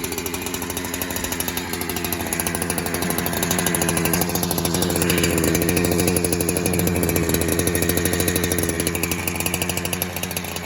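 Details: 372 clone chainsaw that kept leaning out after fuel was added, air leak test with spray around the carburetor: fast, buzzy two-stroke with a slightly uneven pulse and pitch that wanders as it warms, leaning out.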